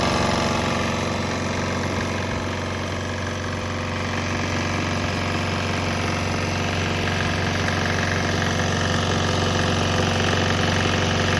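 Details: Swan X 165F Chinese single-cylinder diesel running on straight used canola (fryer) oil; fast, even clatter roughly four beats a second, steady without misses; normal running.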